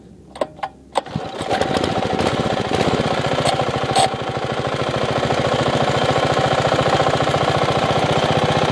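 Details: 5hp minibike single with a homemade welded exhaust, baffle and slight leak. After a few pulls it catches and settles into a loud, steady, even popping run. Finding: normal running, fairly loud.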